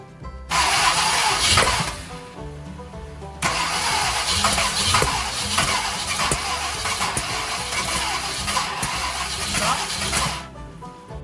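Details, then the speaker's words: Long-sitting 1968 Ford Country Sedan V8 (360 or 390, unknown) on a borrowed battery. The starter churns in bursts with pauses but the engine never catches, and sparks shot out the top. Cause: a loose passenger-side pushrod from a botched prior intake install. "all right guys so we had another loose push we have a loose push rod here on the passenger side because someone prior to us put an intake on and epically failed there"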